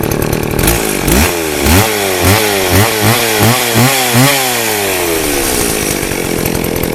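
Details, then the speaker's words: 24-inch two-stroke chainsaw run on fresh fuel mix with stabilizer after old gas: blipped up and down then settles, revving cleanly and evenly without bogging, smoking less; running normally. "Well, it's running. I put stable in it, fuel mix and all that new gas."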